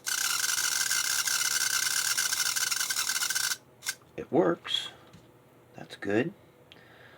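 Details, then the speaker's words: Burlington GP20 model railroad locomotive, factory-sealed motor: thin high squeal over a fast whir, then chirping yelps as it slows, like an angry chipmunk; it runs, but the motor squeals from lack of lubrication. "sounds like an angry chipmunk that's not good but the most important thing it seems to work so let's um that chirp and that's going to come from all not being properly lubricated"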